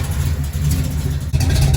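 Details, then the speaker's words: '67 Dodge Coronet "Hefty" big-block Mopar, started during an oil change to warm the oil: deep, loping rumble with even, steady beat, no ticking or misses; healthy big block chugging at normal idle. "Isn't that just a lovely sound? The sound of a beefy, big block Mopar just chugging along. Gotta love it."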